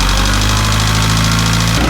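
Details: VW Jetta diesel after an oil change topped slightly past full, separate microphone outside: idle with fast even light ticking over the clatter, steady with engine speed; owner suspects lifter tick, maybe needing cam and lifters; valvetrain tick.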